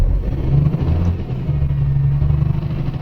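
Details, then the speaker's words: Isuzu Forward diesel truck with code P0336, after fixing a loose crankshaft position sensor connector, check light cleared: deep steady diesel rumble rising smoothly under throttle, no surging; tachometer needle no longer hunting, normal acceleration. "अभी हमने accelerator किया है इसका। पहले accelerator करने से सुई ऊपर नीचे हो रही थी, अप डाउन हो रही थी। अभी वैसा नहीं है।"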